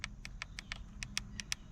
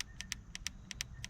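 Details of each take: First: 2022-2024 Honda Civic Sport hatchback 2.0 manual, about 6 months owned: steering wheel volume-down button, most-used, rapid clicks about four a second, some duller and softer than volume-up; owner suspects early wear. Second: 2022-2024 Honda Civic Sport hatchback 2.0 manual, about 6 months owned: steering wheel volume-up button pressed repeatedly, quick sharp clean clicks, still crisp and snappy, unlike the more-used volume-down button.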